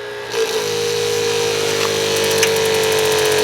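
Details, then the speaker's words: Camplux portable water heater with 12 V pump on a teardrop trailer, no propane connected: steady pump hum and water hiss, then quick even igniter clicks about four a second as water flow triggers the starter; normal. "All right, so you can hear that ticking sound. That's the water's flowing through, and it's causing the little starter to ignite the heater."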